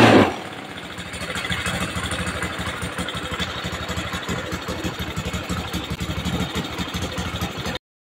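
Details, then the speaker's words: Honda Scoopy carburetor scooter: engine catches and settles into an uneven, lumpy, wobbling idle with weak acceleration; leaking valves. "Makanya langsame reso stabil, akselerasine kurang, langsam ndak stabil, Pak."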